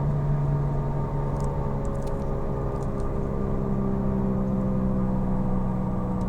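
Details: Falken FK510 tires: constant low droning hum inside the car at steady speed, no knocks or clicks; loud road drone, probably from the tires.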